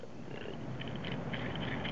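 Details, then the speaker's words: Dual-row IMS bearing from a Porsche Boxster 2.5 L M96 flat-six, turned by hand: dense gritty rattle like a bucket of marbles; inner race loose, seal chewed up, worn balls and cage, near failure. "you can kind of hear it that it it kind of rattles like a bucket of marbles."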